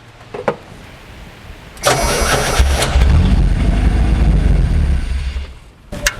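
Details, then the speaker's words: 1991 Chevy S10 four-cylinder on a weak battery cranks briefly, then runs about four seconds on fuel poured in by hand before dying; the fuel tank is to be replaced. "Keep dumping some fuel in there. And we might be ready to get a new fuel tank put in here. Oh, way too much. Perfect. Okay, let's hear it bark off one more time here."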